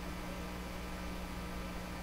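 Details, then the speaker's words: Nordmende 3004C radio during AM broadcast band alignment, volume full, meter connected at the detector diode: low steady buzzy hum under the audio, constant pitch and level; hum suspected from the meter, not confirmed. "there Corsica the volume rate up full the hum is probably being introduced by the meter Franklin it's probably where that's coming from kind of the buzzy huh"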